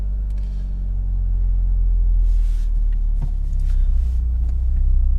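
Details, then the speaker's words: Car on E85 with ethanol conversion box, cold engine on a hot day, box wrongly in warm mode: deep, uneven idle rumble swelling and sagging with no pedal input; rough hunting idle. "Donc voilà, elle se cherche. Je touche à rien, hein, je touche pas les pédales."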